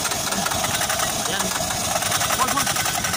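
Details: Oasis150 C/U small diesel that would not start after running out of fuel: after bleeding the injector fuel line it chatters along at a fairly even idle under heavy hiss; normal running.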